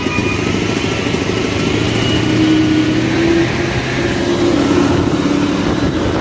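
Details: Caterpillar 988F2 loader diesel after repairing broken cylinder 5 injector hold-down bolt and damaged injector seals (earlier black smoke, hard starting, knocking): steady, even idle without knocking or misfire, normal running.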